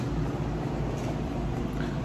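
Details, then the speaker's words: 2002 Yamaha VMAX 1200 V4 with V-boost, just bought, awaiting carburetor rebuild and fuel pump: steady even low rumble, no knocks, misses or rattles, no smoke; sounds good. "But she sounds good. It doesn't sound bad, doesn't smoke."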